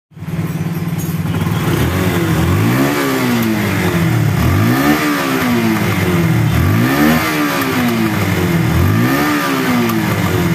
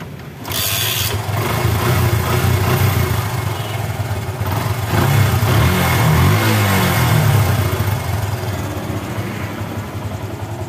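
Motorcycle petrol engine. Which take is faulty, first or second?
first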